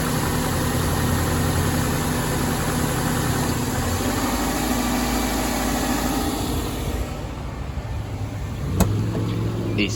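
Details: 1998 Subaru Legacy Outback petrol at idle right after a starter replacement (battery 12.4 V): steady idle, then the note dips and settles as the AC compressor clutches in; the engine runs evenly and nothing is wrong.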